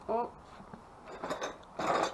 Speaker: sounds a little chattery it could be bad is it broken